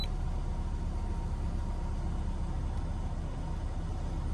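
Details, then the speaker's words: 2008 Ford Focus SE 2.0 L with new battery, idling with headlights on during alternator test: steady, even low rumble, no knocks or misses — normal idle. "start the engine turn the headlights on okay so we'll start the engine you can see that it started you see the rpms up"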